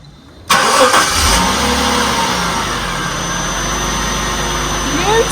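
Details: 1996 Jaguar XJ 3.2 with a slight misfire, first start after fitting all new spark plugs and changing the number two cylinder pencil coil: it catches at once and settles into a steady, even idle with no stumble. Normal start and idle.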